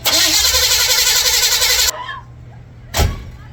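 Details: 1955 Chevrolet Bel Air after carburetor refit, ignition bypassed with temporary wiring: starter spins steadily about four beats a second for two seconds without catching; cranks but no start, fuel delivery suspected, not confirmed.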